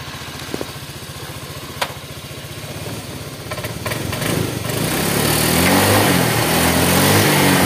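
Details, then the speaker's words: Honda Vario 125 scooter after engine rebuild (head and block work), thermostat checked: steady even putter at idle, smooth clean rise on throttle, no smoke; engine healthy, though a tok-tok noise from the roller clip remains unrepaired. "aman gak ngbul [Musik] halus suaranya"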